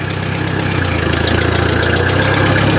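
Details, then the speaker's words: Ford 800 tractor with new electronic ignition, cold engine, pulling in gear while shifting up toward fifth. Strong, regular firing builds smoothly under load with a faint thin whine from a squeal: the engine runs normally. "straight back i'll be fifth wow that's running really good"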